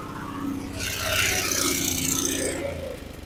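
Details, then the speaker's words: Abandoned lawn mower small engine, after clearing a fuel-flooded, hydrolocked cylinder with the spark plug out: catches and runs fast, high-pitched and steady; throttle possibly stuck open, it wouldn't shut off. "well then well we know she runs but that thing took off I don't know if the throttle was just stuck as stuck open or really not quite sure what's going on"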